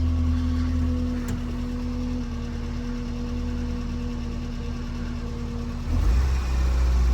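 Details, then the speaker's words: Ford Festiva just after an oil change, idling: steady even low hum with no knocking, oil light off, sounds normal. "[Music] Sounds good to me."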